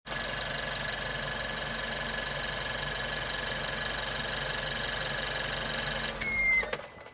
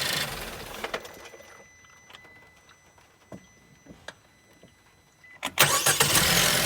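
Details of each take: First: Suzuki Swift Sport ZC33S: the water pump made an abnormal noise when the engine was shut off, heard as an even whir then a brief high squeal at shutdown. After the pump was replaced (from about 25 s onward), the noise was completely gone. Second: Suzuki Swift Sport ZC33S after replacing the water pump, which had made an abnormal noise when the engine stopped. A few clicks, then it cranks and settles into an even idle with the noise completely gone. Normal running.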